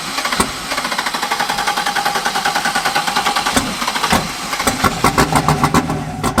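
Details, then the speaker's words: Chevy LS-swapped drift car after catching fire at a drift event, first start with wiring intact: cranks, catches and runs lumpy with loud sharp backfires, black smoke, dumping fuel; something wrong. "Smoke everywhere. What is smoking? Yeah, bro. Black smoke. Oh god, it's dumping fuel. Backfiring heavy too. That was loud."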